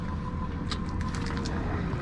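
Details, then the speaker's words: Ford Expedition, cranks but won't start: a faint steady whir after key-on as the fuel pump primes normally; inertia switch fine. "did you hear the fuel pump kick on it's fine"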